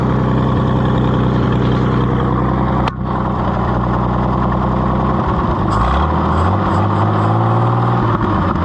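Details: Oliver 70 tractor after carburetor rebuild, running with a little choke: steady even engine beat, revs shift and settle cleanly with no misses or knocks; runs well.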